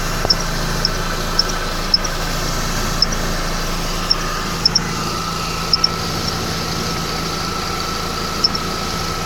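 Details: 2011 Mercedes-Benz E350 idling, belt area: sharp, uneven high chirps every two to three seconds over steady idle hum; belt tensioner seen moving in sync with the squeak, cause uncertain.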